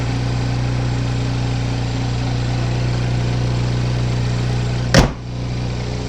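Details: 2015 GMC Terrain petrol engine idling, mic outside on the car: smooth steady low hum with no knocks or ticks, sounds healthy; a muffler exhaust leak is noted.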